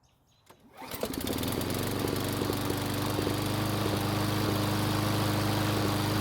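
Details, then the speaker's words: Roughly 20-year-old Craftsman mower after retightening loose head bolts: runs with a slightly uneven, lumpy beat and occasional misses, still sputtering; the loose bolts only caused a small oil leak, owner suspects the carburetor; sputtering when warm. "so unfortunately it's still sputtering so the loose head bolts didn't have any effect on the way the engine was running"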